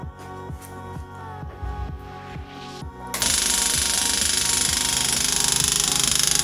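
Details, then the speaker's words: Toyota Corolla KE55 with 4K-C engine, first start after long out of the car, key turned to ignition: loud rapid even ticking, about three to four a second. The old-style electric fuel pump is priming, which is normal. "first thing to do is turn the key onto ignition and see if that fuel pump actually turns on should make a crazy loud ticking noise which is just common for these old-school fuel pumps"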